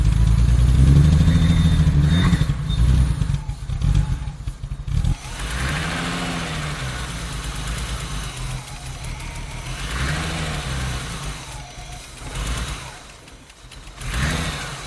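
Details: Barn-find BMW E30 323i Baur after 10 years sitting: six-cylinder runs only on starting fluid sprayed into the throttle body, catching and revving in surges then fading; fuel pump failed, tank needs flushing.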